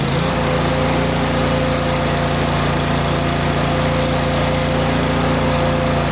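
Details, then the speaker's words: Kohler engine on Miller Bobcat 225NT welder/generator, fully warmed up after idle control module replaced: steady even drone, no hunting or misses; warm engine runs well as mechanical fuel pump works once hot, electric pump needed cold. "okay so in the last clip you just saw the motor was actually running really well so what I found out is just like I said you got to really warm these engines up really good"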